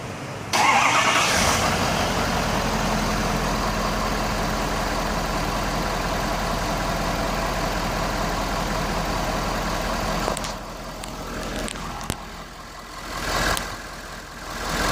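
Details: Ford 6.7 Powerstroke diesel with one-touch start, previously clicking without starting: catches and settles into a steady, even idle with no knocks or misses. Test battery at 12.12 V; charging reads 13.9 V, about 22 A. Normal diesel idle.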